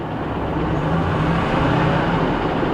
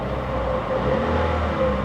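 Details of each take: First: 2012 Chevy Cruze Eco with low battery voltage: rough, lumpy idle with uneven low thump; aggressive tapping from one side, possibly lifters or a deep knock, plus a heavy misfire. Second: 2012 Chevy Cruze Eco, about 9,178 miles, mostly highway-driven: steady petrol engine hum lifts slightly with a light rev in gear check, no tapping or ticking; engine sounds quieter, normal.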